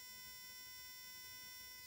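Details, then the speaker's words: VW Beetle misfiring in second gear at low rpm; spark plugs on a bench tester at maximum rate: quiet, steady high-pitched buzz of plugs firing rapidly and evenly, a normal spark, both plugs passing the test. "Obviamente eu tenho a vela funcionando corretamente. E aqui eu posso colocar na rotação máxima."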